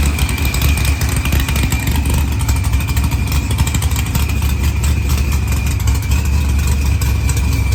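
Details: LS-swapped Mopar with supercharger and zoomies after blown head gasket repair, new IAT sensor, fuel pressure sensor fix, firmware V6 220 and fuel table trim; deep lopey V8 idle, faint blower whine, no misses; normal idle.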